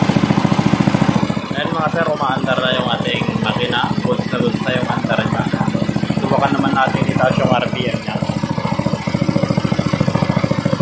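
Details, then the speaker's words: Small gasoline water pump engine, misfiring after long disuse, after carburetor cleaning and magneto ignition work, throttle raised: fast even firing pulses, no misses or stumbles; normal running at raised speed. "Ayun mga Sir okay na okay na maganda na yung andar niya"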